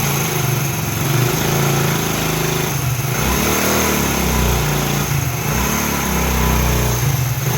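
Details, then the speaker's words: Single-cylinder motorcycle after head reinstalled and damaged head gasket replaced (it leaked piston pressure, causing head/piston noise and blow-by): even, steady idle, no knock or tapping; earlier noise gone. Normal idle. "तो मैंने आपको motorcycle start करके इस इंजन का आवाज़ भी मैंने सुनाया है। जो पहले आवाज़ आ रहा था अब वो बिल्कुल भी नहीं आ रहा,"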